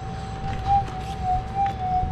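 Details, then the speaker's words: Minelab GPX 5000 metal detector on Gold timing, presets, receive gain at factory 11, listening over the ground: steady threshold hum wobbling irregularly; jittery because receive gain is too high for this ground and coil. "can't meet but it's a little bit jittery so what that means is my RX gain might be a little bit too high for this ground and this coil"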